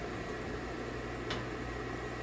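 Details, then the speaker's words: Pool pump at a Palm Springs house inspection, bonded and grounded, slight drip at cover seal and minor pump leak, not on GFCI breaker; steady low hum and even flow, no knocks; running normally. "okay and pool equipment seems like it's working fine yeah bonded grounded"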